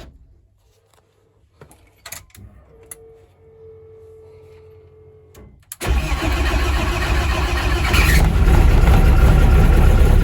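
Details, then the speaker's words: Car driven after the gearbox was bolted back on and the clutch refitted; the engine fires and runs smooth and even with no grinding, clunks or whine, while the electric water pump circulates coolant with the fan running; the clutch works, though the pedal releases high. "yeah it's all spot on and that noise to see electric water pump it just uh casual circulating the water while the Fan's going to call the engine down um yeah runs nice clutch works lovely"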